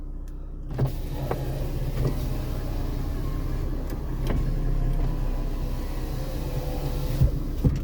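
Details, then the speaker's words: 1995 Mercedes E300 diesel, passenger side power window: click at start and stop with a steady, even motor hum for several seconds; window motor runs smoothly and normally. "We'll do the passenger side windows."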